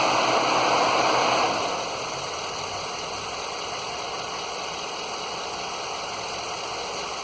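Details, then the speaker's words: 2011 Ford F-150 Lariat 5.0 Coyote V8 idling warm while bleeding coolant after T-connector leak repair, thermostat open, some air still in system; steady rushing electric cooling fan over quiet, even idle; fan and engine normal. "The thermostat is definitely open. She went down and the fan's on now."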